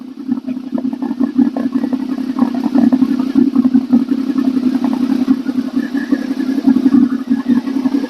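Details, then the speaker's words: Honda VFR 800 first start after used replacement engine, new oil, filter, coolant, warming up: steady even exhaust burble at idle, no knocks or rattles; sounds healthy. "Let's let it warm up a little bit. Here's uh letting you uh hear the the exhaust sound."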